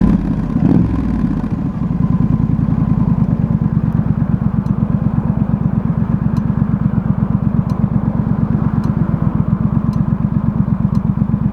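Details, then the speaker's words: Triumph Street Scrambler twin idling, light sharp tick about once a second from the top of the engine; happens when hot or after hard riding, starts loud then speeds up, quietens and goes away. "Coming from the top one. Speeds up. And goes away. Weird. Seems to only happen when it's hot."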